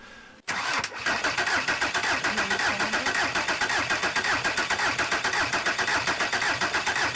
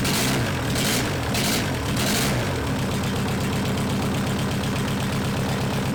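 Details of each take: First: Junkyard VW Caddy 1.9 SDI diesel, about 190,000 km, injector lines loosened to bleed; steady starter churning about two beats a second for eleven seconds without catching, air in the fuel lines being bled. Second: Junkyard VW Caddy 1.9 SDI diesel, about 190,000 km, after bleeding fuel lines, started easily without glow plugs connected; few cranking bursts then catches into steady even diesel idle clatter, running fine.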